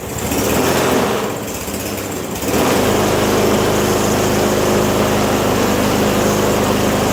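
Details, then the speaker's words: Yard Machines 21-inch self-propelled mower with Briggs & Stratton 550EX 140cc engine: pull start cranks and sputters about two seconds before catching, then busy, slightly uneven run; hard starting and rough running. "Well, as you can hear, it's not starting the way it's supposed to. It's still starting a little crappy."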